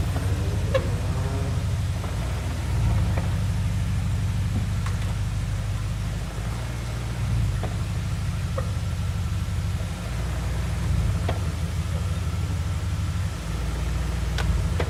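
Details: 2004 BMW 645Ci E63 with SMG gearbox: deep rumble with scattered sharp knocks when moving off forwards or backwards, fine in gears 2–6. The owner is unsure whether it is the SMG gearbox, SMG cylinder, clutch or flywheel.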